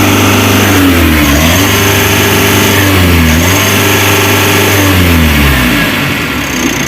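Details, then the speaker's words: Mitsubishi L300 Euro 4, about 4,000 km, weak on hills: repeated free-rev blips climbing freely to full revs and dropping back cleanly, the normal revving shown for comparison with the rpm-limited fault. "Harusnya kan bisa gini teman-teman Kayak gini nih"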